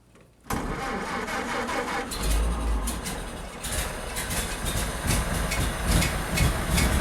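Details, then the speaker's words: 1931 Ford Model A after blown headlight-wire fuse was fixed: starter churns engine at steady rhythm for several seconds but never catches because the fuel supply was turned off; crank no start, fuel shut off. "oh I had the gas uh turned off here"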